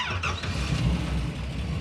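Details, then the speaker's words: Hemi V8 in a Gremlin barely idling after a burnout, rough low rumble with heavy knock underneath; crew suspects a broken lifter or kicked-out pushrod, pinging at very low rpm. "Sounds the same. Yeah, it was pinging. The RPM was really, really low when it was pinging. It was almost not running when it was pinging."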